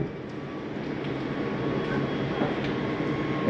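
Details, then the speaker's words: 2022 Bighorn 37DB RV leveling system on "retract all," drawing up the stabilizer jacks. An even electric motor drone with a few light clicks, no straining or grinding. Retraction is normal. "see it's bringing up your stabilizing jacks on the leveling system sounds like all those are up"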